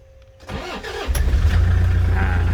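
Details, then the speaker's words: 2009 Toyota Commuter van, 2.5 D4D diesel: a brief starter crank, then the engine catches and settles into a low, steady, even idle with no knocking. The engine is described as quiet, a clean start and healthy idle. "สตาร์ทเครื่องเรียบร้อยครับเครื่องเงียบๆนะครับ"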